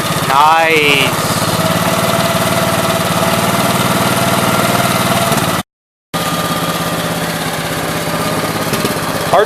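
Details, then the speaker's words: 1969 Gravely 432 with a rebuilt K321 14 hp single-cylinder engine and a new piston, bench run for about half an hour. Steady, even beat with no knock or clatter; healthy normal running. The owner suspects a fuel pump problem, as it dies out despite fuel in the bowl. "good enough for me so it's been sitting here running for every bit I've got a half an hour so pretty happy with it except for the fuel issue"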